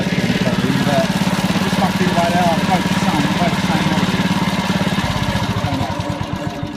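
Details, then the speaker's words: Honda HRD535 lawnmower after repair of gearbox/roller drive problems, single-cylinder engine chugging at a steady even beat with no misses or knocks; repaired drive seems pretty good, normal running. "but yeah we can call that video so I've done then that drive seems to be pretty good I'm glad I saw that"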